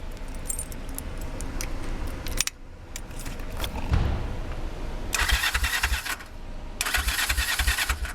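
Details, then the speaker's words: 1969 Honda CL450 after starter clutch rebuild, start button repair and new starter solenoid: two strong, even bursts of starter whirring with no clicking or dragging; normal starter cranking. "we can see if the starter motor actually starts the motor"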